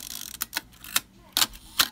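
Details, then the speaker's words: Nikkorex F camera shutter at the 1 s slow speed: several sharp clicks spread unevenly over about two seconds as the slow-speed gear train runs, timing inaccurate and judged unacceptable. "it's unacceptable oh boy going to have to open this son of a again"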